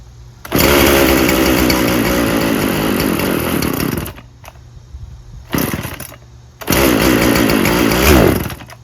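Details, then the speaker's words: Poulan Pro 50cc 20-inch chainsaw, little gas in tank, no bar oil: runs rough at high revs, dies out around four seconds, catches briefly and refires; it bogs and won't stay running, low fuel suspected. "I don't really think it works just fine. I think it bogs. Won't stay running."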